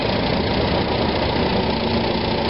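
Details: 1945 Farmall BN after cleaning blockage from the Zenith carburetor and setting float level, idle screw 3/4 turn, in neutral: steady, even low idle with no misses, hunting or stumbles; idle now adjustable and improved. Normal idle.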